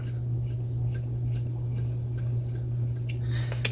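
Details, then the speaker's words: Mid-1950s Wright & McGill Fre-Line Model 10-BC spincast reel after service: a light regular tick as the handle turns, with a faint scrape once per revolution, only when cranking forward with the pickup pin out. Owner suspects a small dent. "okay so it's working much more smoothly and quietly now but I don't know if you can hear that [Music] but every about every turn you hear just a little bit of a scrape"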